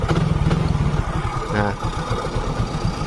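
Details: Yamaha Mio GT injection scooter that kept dying while ridden, after securing a loose, unlocked sensor connector; the small single-cylinder engine putters at a steady idle with no stumbling or cutting out and runs cleanly.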